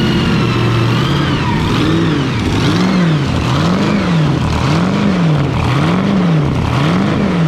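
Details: Fountain 42 offshore racing powerboat with twin 9-litre engines, started after racing and a fresh-water flush while a misfire is being investigated. Settles into a steady idle after a few blips, with an even exhaust note and a rising-falling whir; normal idle.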